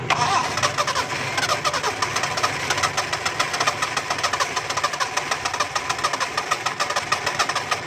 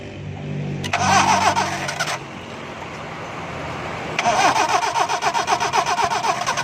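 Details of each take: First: Four-cylinder car (firing order 1-3-4-2) that wouldn't start after pressure washing got water on the engine, started after spark plug wires were removed and refitted: cranks, catches and settles into a steady idle with ticking valvetrain; normal start and idle. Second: Car won't start after pressure washing: starter cranks in steady bursts of about four turns a second but engine never catches; water in ignition wires after washing.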